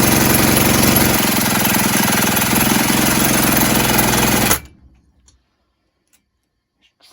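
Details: 1970s Puch Maxi E50 50cc two-stroke moped engine on the bench, spun by a drill after carb spray: fast, even chuffing about four beats a second, never firing.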